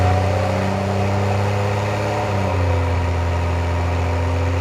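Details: 2024 BMW M340xi (Gen2 B58) with intake manifold, charge pipe, intake and fuel pump upgrades, after transmission reinstall: smooth even idle hum with a steady low drone that settles slightly lower, no ticks or knocks; healthy six-cylinder idle.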